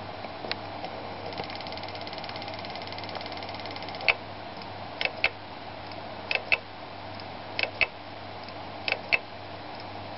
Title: Seagate Barracuda LP 1.5 TB dying with clicking noise.